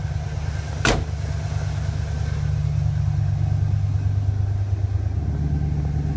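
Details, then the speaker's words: 1990 Ford Bronco, lifted, 351 V8, dual exhaust, about 30 years old, just started: deep, steady low rumble at an even idle with no misses; runs well. "It's a nice, low rumble, that dual exhaust."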